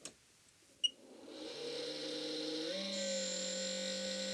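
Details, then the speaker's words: ZD-915 desoldering station cooling fan, recently gotten much louder: spins up to a loud steady hum with a high whine on top, worn failing fan to be replaced. "you can probably hear the fan noise there it got really loud recently and I want to do something about that"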